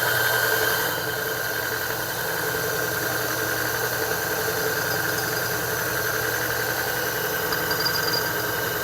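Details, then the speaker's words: Niche DUO coffee grinder during calibration: steady motor hum with a thin high chirp, starting around one to one and a half notches and clear at zero; burrs touching, burr contact chirp. "actually it should start chirping at around uh one and a half notches like right around here it starts to chirp a little bit and by zero you can really definitely hear"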